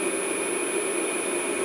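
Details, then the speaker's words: Original 1941 Westinghouse 1 HP three-phase motor from a 13" South Bend lathe, after cleaning and new bearings, run in forward then reverse while greased: steady, even hum with a clean high tone, no knock or grinding; normal motor run. "smooth and quiet that's where I like so while she's running a couple pumps of grease in there okay we're going to go reverse a little bit of noise actually a little bit little chunka schmutz just fell off one of the road is inside so I'll get that off but otherwise he's nice and quiet"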